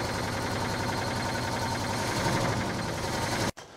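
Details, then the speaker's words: 1968 Chevy Caprice V8 after sitting 18 years, missing a cylinder or two (fouled plugs suspected): rough idle with rapid loud clatter before cutting out; owner suspects lifters not pumped up after oil drained, noise dissipating with repeated runs. "okay that little bit of a knocking sound I think is because the the lifters are not pumped up so I run it a couple more times it's starting to come back around"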